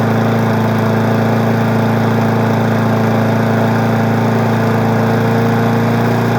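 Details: Weed Eater 20-inch single-cylinder push mower being woken up in March holds a steady, even beat at constant speed with no stumbles or rattles; runs smooth, no shaking.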